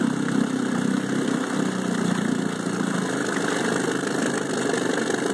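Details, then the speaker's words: 1968 Evinrude 9.5HP short-shaft two-stroke outboard after new breaker points and water pump impeller, mixture adjusted, in gear: even, steady buzz with no misses, surging or hunting; normal idle in gear. "I've done endurance testing on this motor. I can't get it to stop unless it runs out of gas. It's ready to go."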